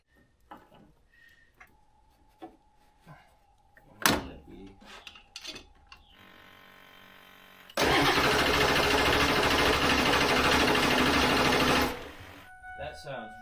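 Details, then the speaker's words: Ford F350 diesel dually being readied after repairs: starter spins the engine over way too fast and light, like no compression, then it catches, runs rough and settles, sounding good. "way too fast too fast spinning over way too fast like it's got no compression"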